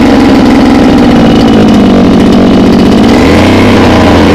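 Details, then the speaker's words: Mini water pump engine, two-stroke, running on petrol-oil mix, hard to start: once running it buzzes high and hard, hunts briefly, and can't be throttled down to idle; engine races, will not idle down. "Sekali hidup membandang, dan nanti kita coba hidupkan ya guys."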